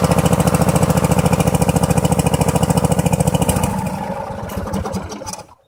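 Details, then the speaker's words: Truck engine; lopsided, stumbling beat about three pulses a second that sags and dies, struggling on the right-hand cylinder; spark checked okay, carburetor and coils still to be checked; misfire on one cylinder. "So as you can hear, she's struggling on the one cylinder. I have determined it is the right-hand side cylinder."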